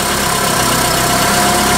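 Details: Nissan forklift with previous cranking no-start complaint, after replacement part installed and cam/crank signals checked on oscilloscope: steady, even idle with no misses, knocks or surges; engine running normally.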